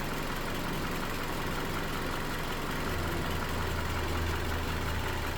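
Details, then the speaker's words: 2018 Toyota Camry at 115,000 miles, running 5W30 instead of 0W20, idling: low, even hum with a steady rumble and no ticks or knocks; smooth, healthy idle. "Just sounds good, quiet. Now shut the engine, you can't even hear it. So trust me, 530 does work."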